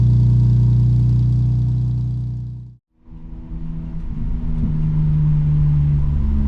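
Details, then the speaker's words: Lexus IS200 1G engine, first true cold start after a DIY straight-pipe decat exhaust: deep, loud, even exhaust rumble with a brief drop-out, then a steady idle with blips; it runs smoothly and healthy. "so experience for the first time a true cold start with the new um DIY exhaust so yeah I think that's a great way to end the video"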